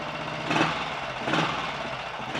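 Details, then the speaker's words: 1951 Royal Enfield Bullet 350 G2 after full engine rebuild, ignition advance lever being adjusted: steady single-cylinder thump, revs swelling and settling cleanly, no pinking or misfire; quieter, smoother, timing sounds right. "but this is definitely quieter and smoother running i would say now so that's good"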